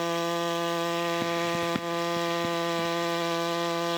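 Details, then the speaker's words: Simpson ALH 3228 all-aluminum gas pressure washer with Cat commercial pump, at full throttle after warm-up, producing 3,400 PSI: a steady high engine drone with an even, unbroken tone and a few light handling knocks. Normal running under load. "Alright, so that was 3,400 PSI of pressure from that pump."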